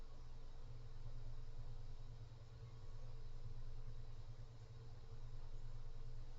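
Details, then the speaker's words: Cooler Master Mobius OC 120 PC fan at maximum speed: steady loud low whoosh and hum, no clicks or rattles; several harmonic resonances noted, airflow cones out widely. Kind of noisy at full speed. "so that's the maximum um this one is kind of noisy to be honest and it does cone out like like this it's a fairly significant cone so keep that in mind"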